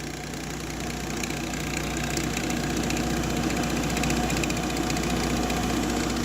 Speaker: Got a GE refrigerator, and the complaint is it's making a lot of noise when it's running, and as you can hear, it's the condenser fan motor. Looks like there's a lot of shaft play in the motor, and it will just start to wobble and make a lot of noise.